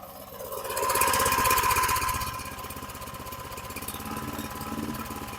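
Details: 2009 Lawn-Boy 20-inch rear-wheel-drive mower, model 10642, 675 series engine; after the throttle tab was pulled forward to raise rpm, it revs to a fast, even beat, then sags and cuts out. Cause unconfirmed.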